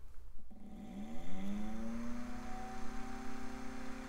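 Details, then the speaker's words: AMD Athlon XP custom PC, after cleaning a filthy cooler fan, running on a wooden bench: fans whir up over two seconds then hold a loud steady hum; noisy, perhaps partly the bench. "well it's definitely not winning any awards for quietness most of that might just be because it's on the wooden bench"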